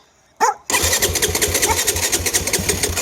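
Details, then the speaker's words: 2015 Yamaha WR250F, nearly new with minimal km, completely cold engine, choke on: quick blip then steady chuffing cranking pulses that don't catch, fires on the third attempt, puffs smoke while warming; hard cold starting. "like it almost wants to go. It's the second time. Third time, it fires up."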